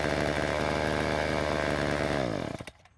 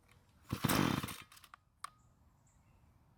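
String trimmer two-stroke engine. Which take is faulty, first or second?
second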